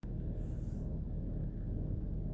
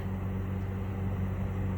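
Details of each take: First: 2006 Chevrolet Trailblazer engine running: steady low growl with faint whirring underneath, no knock or tick; the alternator pulley has failed mechanically and the alternator is being replaced. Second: 2006 Chevy Trailblazer after replacing an alternator whose pulley had failed, battery reconnected: steady low hum with an even, smooth idle and no whine, squeal or knock; new alternator charging, normal running.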